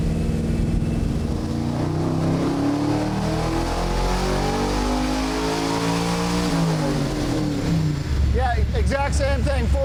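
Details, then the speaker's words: Stroked LS V8 in a Chevy C1500 pro touring truck on the dyno, 93 octane pump gas, driveline still cold: smooth, strong roar climbing steadily in pitch under full load with no misses or knocks, a healthy engine pulling cleanly. "honestly this thing i mean it's on the dyno but it's like super smooth gets right in it yeah i mean it's really nice for 93 octane plum gas that's that's outstanding"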